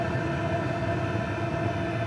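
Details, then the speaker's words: PH21A 2 kW 12V diesel parking air heater shutting down after holding the selector button three seconds: fuel pump pulses stop, flame slowly goes out; smooth, even blower hum with no pump ticking, normal shutdown. "the fuel pump pulses will stop the flame will slowly be extinguished the glow pin"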